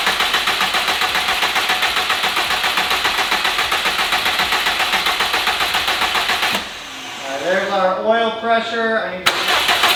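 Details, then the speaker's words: 2015 Subaru WRX STI on its first start after a replacement long block (Type R block, refreshed heads), still smoky: fast, even exhaust pulse at steady idle with a faint tinny rattle from the broken up-pipe heat shield; sounds good. "that up pipe's a little noisy the up pipe heat shield is broken so so it's being a little bit rattly but sounds good"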